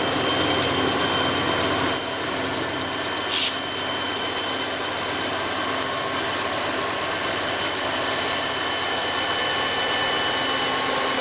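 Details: Lead GE AC4400CW 4529 (ex-TFM) on an empty northbound train climbing the long Moctezuma–Charcas grade on line B stays near idle or reaches only about notch 3, while trailing EMD SD70ACe 4149 works at full power, notch 8; steady low drone never builds: locomotive not loading.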